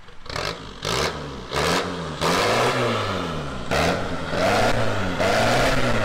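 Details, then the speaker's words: Astra van diesel with manual injection pump, charging 14.4 V: repeated blips, revs climbing and dropping unevenly with clatter, then cuts out; previous owner wound pump adjustment screw right in, being reset. "so with it being a a manual pump it's got a screw on the pump so what we're doing now is just getting it set in the right position because whoever had it before us had wounded right into it was all refueling"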